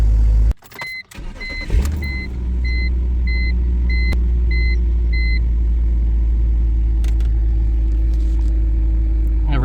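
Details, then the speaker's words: E46 BMW after replacing the missing valve cover bolt behind its vacuum leak, misfire and lean issues: engine catches and settles into a steady even idle with no hiss or stumble while warming up; leak fixed. "all right so I'm gonna start the car a little warm up and I'm just gonna listen to the engine if it has any vacuum leak any hissing sound"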